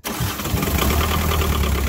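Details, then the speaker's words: JCB 208S backhoe diesel, sitting for years, first start after fuel injector pump work and the lines bled; catches and settles into a steady, even low clatter, with fuel leaks still to fix; normal diesel start-up. "please this is awesome fuel pump the fuel injector pump that's what it was this is what i needed"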